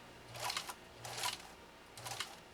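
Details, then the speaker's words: Restored Singer 66-16 with renewed motor sewing two layers of compressed felt, throttled back to slow speed: short even bursts of quick light needle clatter, smooth motor with no knock or drag; healthy, normal low-speed running. "you don't have to let it run away. You can harness that power. You can harness that power."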